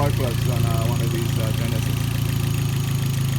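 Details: 2010 Hyundai Genesis 2.0 Turbo inline-four, first start after a spark plug change to one-step-colder NGK plugs and battery reconnection: catches right away and settles into a steady, even idle with no misfire or stumble; normal start and idle.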